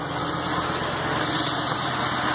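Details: Ford F550 6.8 V10, first start after hours of diagnosis traced a miss to a single fouled spark plug; steady, even idle with no misses or stumbles and a faint hiss over the top; running smoothly.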